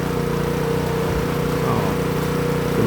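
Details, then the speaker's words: Honda GX160 single-cylinder water pump engine that would not start and ran rough: after repairing the gnawed, broken spark plug wire under the fuel tank, it starts and holds an even, steady idle without stumbling; normal idle. "ก็โอเคครับเครื่องติดสมูทนะครับรอบเดินเบานิ่งนะครับไม่สะดุกไม่กระตุกนะ"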